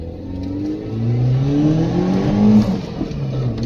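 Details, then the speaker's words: Mitsubishi Pajero Mini turbo, five-speed manual, after a new custom 2-inch mandrel-bent exhaust with no converter and a small turbo muffler, exiting under the passenger seat: deep, even, mellow drone as revs climb and settle, no rattles or leaks; normal exhaust note. "han the actual exhaust note is nice and mellow down low it's going downhill diesel it's not real drowning"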